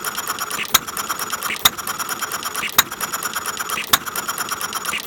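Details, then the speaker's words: Half-scale Domestic side shaft hit-and-miss model engine, set to run fairly slow, cold day outdoors: a sharp pop roughly once a second over light mechanical patter, steady and unhurried; healthy slow running. "I have it set to run fairly slow right now"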